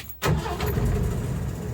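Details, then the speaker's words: 1977 Ford F-350 wrecker, 300 straight-six with rebuilt Carter YFA carburetor, restarted after about five minutes off: brief crank, catches at once and settles into a steady, even low rumble, a clean, healthy warm start. "so it's been turned off for I don't know five minutes or so I'll just watch"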